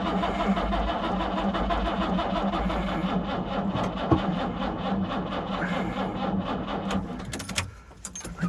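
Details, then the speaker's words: 1968 Jaguar E-type Series 1½ convertible sat about two years, plugs cleaned, on jump pack with a suspect battery, choke off, full throttle: steady sluggish cranking about four beats a second that never catches; cranks slowly but won't fire, weak battery suspected. "I think we need a better battery so let me get another one we'll hook it up and sort of connect them together and see if that will get this going"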